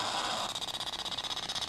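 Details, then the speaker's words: Galaxy Z Fold7 loudspeaker at 175,000 folds, still failing after a reboot and with copyright-free music as a test; Bluetooth earphones work fine: thin, harsh buzzing with a fast choppy flutter and no body; the speaker has failed and distorts. "네, 스피커 고장 났습니다. 저희 17만5,000번 때요. 스피커가 고장이 났습니다."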